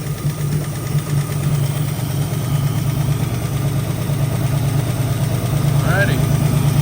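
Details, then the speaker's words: 1965 Ford Mustang V8 with freshly rebuilt carburetor, long-sitting old oil: low, steady rumble at idle with an even beat, no knocks or misses; owner suspects a slight lifter tap earlier; normal idle. "Doesn't sound too bad. All right, go ahead and shut it off."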